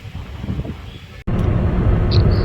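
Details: 2011 Maruti Swift petrol/CNG, previously with morning starting trouble, misfire and stalling at idle, driven on the highway on petrol after a head gasket and timing job: steady low engine drone under road and wind rush, no misfire or stumbles; normal running.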